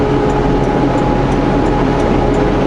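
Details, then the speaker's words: Truck climbing the Hope Slide in ninth gear of an automatic transmission: heavy, steady diesel roar under load with an even whooshing drone as the engine fan kicks on; normal fan engagement under load. "you hear the louder howling coming on that's the fan kicking on"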